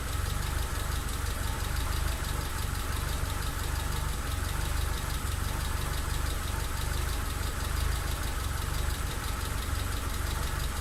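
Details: Mitsubishi Lancer EX turbo, plugs, leads, coil, distributor cap and rotor, MAF, and ECU already replaced, coolant and intake air temp sensors in spec: deep uneven idle with irregular thumps and stumbles; constant misfire at idle, cause unknown.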